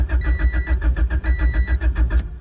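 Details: EG Honda Civic coupe with a B20 engine converted to AWD with a new header, first start attempt with very low fuel. Starter churns at an even fast rhythm, about nine beats a second, for two seconds without catching: cranks but won't start, cause unconfirmed.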